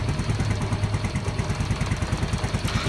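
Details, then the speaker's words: Yamaha Mio M3 125 scooter showing MIL code 46 (charging supply fault, battery drained; regulator/kiprok suspected and checked); engine has no problem: low, even putter around three beats a second, no knock, miss or rattle, healthy settled idle. "untuk mesin ga ada masalah ini motor smap akhirnya itu tekor saja"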